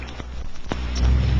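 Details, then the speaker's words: Turbonique 12T monopropellant thrust engine on a static thrust stand, mid-1960s recording, exhaust jet discharging into still air without a thrust augmenter: crackling hiss swells into a deep, steady roar with no sputter or surging; normal running. "12t thrust engines will be heard operating on Germany static thrust measuring stance his high velocity exhaust jet discharges directly into the still surrounding air"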